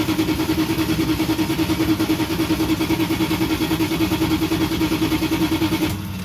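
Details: Van start attempt after sitting about two months, fresh fuel added: starter whine with regular cranking pulses about three a second for six seconds, never catching; cranks but won't start, spark or fuel suspected.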